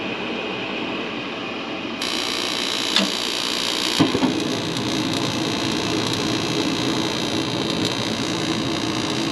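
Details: Garage heater converted from natural gas to propane, fired up on a call for heat during the manifold pressure test: gas catches with a soft whoomp, then a steady even roar; burning cleanly.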